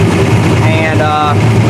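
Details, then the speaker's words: Engine run after an oil pressure problem, with oil pressure still lower than expected; a fast, light ticking rides over the idle; the lifters are noisy, and the owner suspects the oil pump may need changing. "got it running uh lifters are definitely noisy um so still not liking the pressure i'm seeing"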